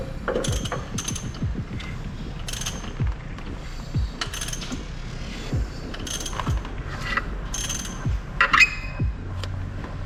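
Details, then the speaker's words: Rebuilt RB30 engine in a Nissan 300ZX (Z32), first start: engine turning slowly with irregular gritty clicks and scraping bursts; mechanical grinding, suspected inside the front timing cover. "t yet pretty horrible sound but I'm going to pull the covers off and make sure nothing's grinding itself to bits under here"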